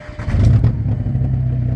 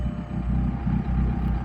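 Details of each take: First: Turbocharged car or truck, exhaust started sounding funny on highway trip: loud, deep droning rumble at idle with turbo more audible, far louder than stock; broken, leaking exhaust pipe, to be fixed by cutting out bad section and splicing new pipe. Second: Turbocharged stick-shift car after the broken exhaust section behind the driver's seat was cut out and replaced with new pipe and clamps: even, deep idle rumble with no puffing or ticking. Exhaust now sealed, exiting at the back.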